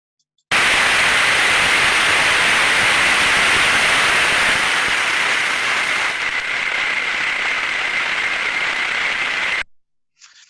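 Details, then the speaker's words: Ultrasound recording of an under-lubricated bearing being greased; loud rough friction hiss that turns smoother and drops in decibels as grease goes in until it stops falling, showing lubrication is complete. "so as we can hear there and as we can see from the time series waveform a large level of friction an ultrasound being generated as the grease applies the sound becomes a lot smoother and lower in in decibel value"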